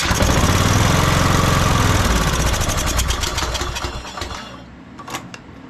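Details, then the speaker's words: Troy-Bilt Bronco riding mower, unstarted for about a year, previously frozen starter, air box off with carb spray and choke: loud uneven cranking fading to a free whir without catching, the starter gear slipping on the flywheel again. "Now that starter's slipping again."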